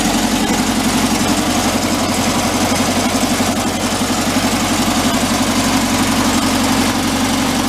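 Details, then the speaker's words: 1959 VW Type 2 truck, air-cooled, first start after a year sitting in a museum: smooth even idle, burping out a little air; fuel pump or distributor base leaks a little oil. "sounds good burping out a little bit of air"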